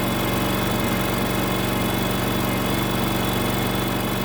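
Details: Terramite T5 mini loader with a Kohler engine that would not stay running, after the fix: catches and holds a steady, even idle with a regular low thump and no stumbling or surging; running properly.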